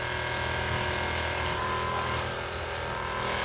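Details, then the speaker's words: Jebo 9950 AC/DC aquarium air pump with rechargeable battery: steady, harsh electric buzz with a rattly edge as it runs noisily; cause suspected, not confirmed. "Kebetulan sekali, hari ini saya ingin memeriksa aerator saya karena sepertinya aerator di akuarium yang satu ini mulai berisik."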